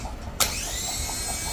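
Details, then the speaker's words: Used junkyard replacement starter for a 2008 Lexus GS 300 with no-crank complaint (old starter faulty), bench-tested before fitting: quick click then high even whir spinning up and holding with no grinding; normal starter spin, car then cranks well. "Car is good cranking thank you for watching"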